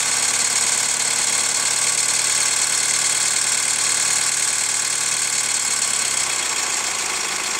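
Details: Hyundai ix35 CRDi 136 hp diesel, engine warmed after a short drive: sharp metallic ticking/crunching knock at hot idle, louder from the wheel side, ringing sharper with a touch of throttle; chain damper hydraulic tensioner replaced 1.5 years ago, dealer found nothing, source unknown.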